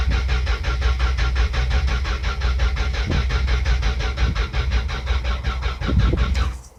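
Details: 1974 Dodge Dart with 1972 slant six swapped in: starter chugs steadily about six seconds and never catches, then drops off; crank no start.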